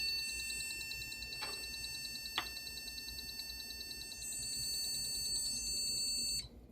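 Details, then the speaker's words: Desktop PC started with RAM removed (possibly previously poorly seated) to get beep codes: a shrill, continuous alarm-like beeping, the memory error beep code. "So I've now discharged, and the reason I'm recording is to get the beep codes. So I could find the slot."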